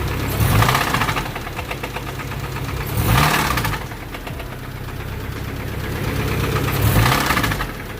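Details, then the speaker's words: 1992 Honda Accord EX with H22 engine (87.5mm sleeves, 9.0 pistons), before driving: loud heavy knocking over rough running that surges every few seconds; owner calls motor done, suspects the cams, not confirmed; engine knock. "Don't know what that is, but that sounds very bad. Almost sounds like the cams."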